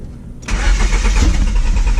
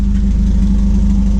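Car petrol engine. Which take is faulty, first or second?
first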